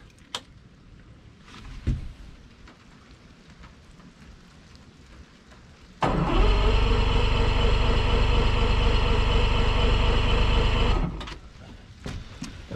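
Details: Yamaha 150 TXRC V6 two-stroke outboard with three rebuilt carburetors, first morning start on fresh fuel with choke: handling noise, then it catches right away and runs a steady throbbing idle about five seconds before cutting off; clean cold start.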